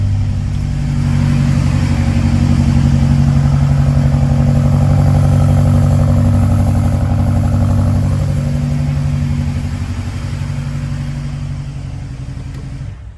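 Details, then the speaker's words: BMW X5M, tuned, about 70,000 miles, drivetrain malfunction: after new spark plugs and swapped coils, still an uneven loping idle stumbling about three times a second, shaking like a washing machine; misfire persists, not the plugs, cause unconfirmed. "So as you can see, that is rough idle. Car feels like you're in a washing machine as the engine feels like you're doing this. Really rough."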